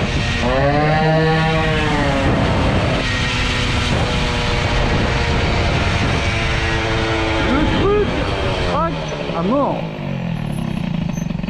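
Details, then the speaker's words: Air-cooled 103 moped with an Airsal 65 two-stroke kit and a size-21 carburettor, after leaning the main jet slightly and richening the needle a little: it revs freely with a rising and falling buzz, then drops to a steady, even idle. Carburetion is now right. "on a un ralenti du Seigneur de Zeus."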